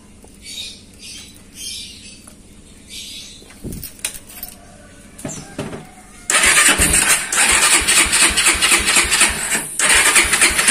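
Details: Honda Tiger motorcycle started after carburetor repair: float bowl was clogged with dirt, causing fuel to drip and flood and a strong petrol smell when parked; cleaned and now fixed. Engine catches at once and settles into a steady, even idle; starts and runs normally.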